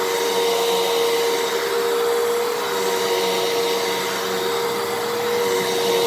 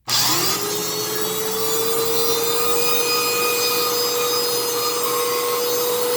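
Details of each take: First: 12 Amp Fantom Fury upright vacuum, made October 2000, after clog repair, cleaning carpet: steady high motor whine at constant pitch with even airflow hiss, no rattle or surging; normal healthy running. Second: Fantom Fury 10 amp vacuum cleaner (compared with a repaired 12 amp unit): loud motor whine near 500 Hz with a harsh rushing roar; far too loud, harsh motor noise, cause unclear.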